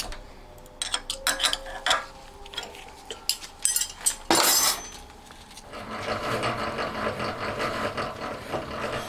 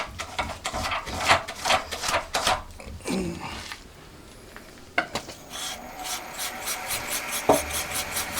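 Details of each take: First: Homemade honing tool for a four-cylinder Honda Monkey engine, spun in a milling machine with a universal joint: rapid metallic rattle chatter caused by the joint vibrating; removing the joint gave smooth cutting. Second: Homemade honing tool driven by a milling machine with one joint removed, cylinder honing for a four-cylinder Monkey engine project: steady rhythmic rasping of the stone in the bore with no chatter, unlike with the vibration-causing joint fitted.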